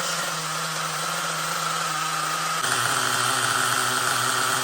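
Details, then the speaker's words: LRP .32X Spec 4.1 nitro engine during cold-weather break-in, second idle tank, still running rich with oil from the exhaust. It idles with a fast, even buzz and a steady high tone, the carburetor not changing its tune; running normally. "my last stance is almost done you could hear the carburetor you know well not the engine it's idling very steady the carburetor is not changing its tune at least at idle"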